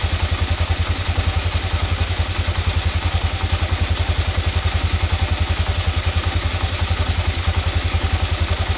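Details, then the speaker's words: Small single-cylinder scooter after clutch bell replacement (grooved/regrooved bell), test run: even, fast putter about three and a half beats a second, steady, no rattles; normal idle. "Okay guys, okay na, naikabit na natin. I-testing natin, paandarin natin yung motor."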